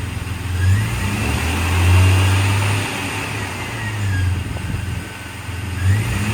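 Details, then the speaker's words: 2000 Jeep Cherokee XJ Classic 4x4, inline-six with brand-new engine, cold start: smooth, even idle swelling cleanly through several free revs and settling back, no knocks, ticks, misses or smoke; normal healthy engine revving. "There's your inline six. We have not cleaned up this engine bay, so it's pretty dirty. But you can hear how it sounds at least."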